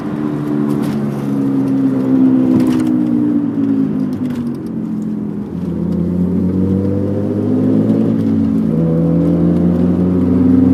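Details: 1991 MG Maestro 2.0i at about 45 mph: loud steady hum/whir, louder with speed, deeper turning left and gone turning right, present about 3 months and worsening; cause unknown.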